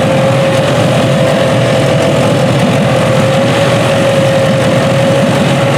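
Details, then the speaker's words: Junkyard 6.0 L Chevrolet V8 from a 2002 Chevy truck pulled from a mud hole (no water in oil), first test run on a test harness, warmed up. Loud, steady mid-pitched idle hum with no hiccups or knocks; normal idle. "looks like it's going to run."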